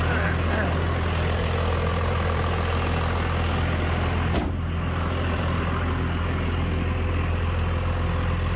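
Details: Rebuilt 5.9 Cummins diesel pickup swap idling after a cold, jump-assisted start of about 8 cranks, no spray, block heater or throttle; deep steady rumble with even beat, no stumbling or misfires.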